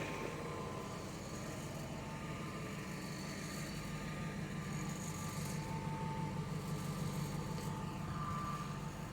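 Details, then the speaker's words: 25-year-old truck with 250,000 miles and its original engine, which sat outside for 10 years, idling: a loose, uneven rattle of about three taps a second over the rumble; source unknown. "the rattle and air conditioning aside why is the air conditioning on it's not it is a 25 year old truck it does do weird weird things on sometimes"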